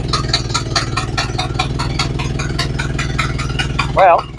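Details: Model A Ford after sitting about four months and receiving new parts: a steady, even four-cylinder putter at idle, no misses or knocks. It runs smoothly.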